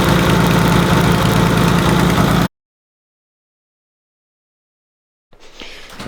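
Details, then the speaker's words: BMW E30 project engine that has gone a year without an oil change: heavy, even knock about four times a second under a loud running engine; owner suspects a connecting rod, a rocker, or simply old oil. "donc le bruit euh ça peut être soit une bielle euh enfin un couiné soit ça peut être un culbur qui a commencé à merder c'est possible aussi soit ça peut être juste une vidange"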